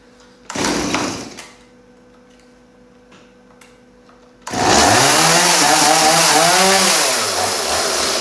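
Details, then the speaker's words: Stihl MS180C chainsaw, just started after air filter refit: speed hunts up and down instead of settling, unstable idle needing adjustment of the flathead idle screw on the carburetor side. "so it sounds like it needs a bit of an aisle adjustment i'm just in through the side here i can show that to you guys"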